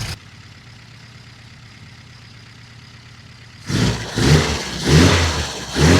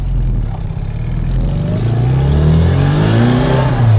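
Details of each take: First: Classic Mini just fitted with a larger carburettor replacing the HIF44 SU, first start with settings untouched: quiet idle then five quick uneven blips with soft lazy pickup; running quite rich, later leaned off and idle adjusted. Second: Classic Mini after replacing the HIF44 SU carburettor with a larger one, on a short test drive: engine climbs cleanly through the revs under load, crisp and strong, no bogging; pulls well.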